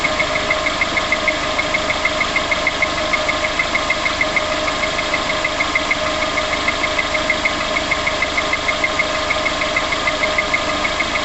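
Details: VX19 engine just after start-up at idle: light, even tick about three times a second riding over the engine, apparently from the top end; tapping, cause unclear.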